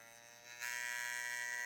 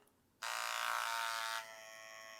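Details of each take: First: TATVIDA rotary tattoo machine run above 9.5–10 volts: sharp steady high-pitched buzz turning louder and harsher midway, an unpleasant weird noise though it still tattoos; noise acceptable at 7–9 V; abnormal loud buzzing. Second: Tatvida rotary tattoo machine at 9.2–9.6: steady high buzz starting abruptly, then settling to a lower even hum with no knocks or roughness; noise acceptable, normal running.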